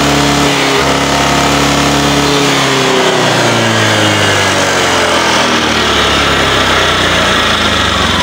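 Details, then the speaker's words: Honda Vario scooter eating spark plugs within about a week, with a clogged catalytic converter. Back-pressure gives a wrong oxygen-sensor reading and mixture. Revs climb slowly and flatten out, choked and breathless, unable to rev freely. "macam itu tidak bisa losos ya tidak bisa teriak"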